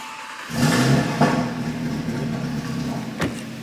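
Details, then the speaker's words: Audi RS3 with fully forged engine, first start after rebuild and clearing fault codes, wheels off: catches and settles into a smooth, steady idle with even exhaust note, no knocks or misses, no engine lights. "that exhaust sounds good man but yeah look no more engine lights at the moment I didn't expect it to come back cuz the engine is running super smooth"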